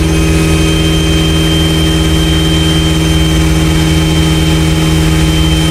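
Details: Evo 8 turbo engine after a fuel pressure fix for power loss, started with no throttle: loud steady idle with even low pulsing and constant whistle tones, no hunting or misses; settles to a perfect, normal idle.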